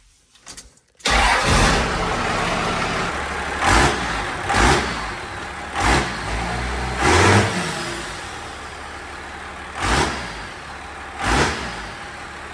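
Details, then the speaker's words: 1946 Chevy truck with swapped 12-valve Cummins diesel, newly fabricated Y-pipe exhaust welded on: quick crank and catch, then steady idle with several clean rev blips settling back smoothly; normal diesel start and idle. "But yeah, it runs pretty good. Start it up here."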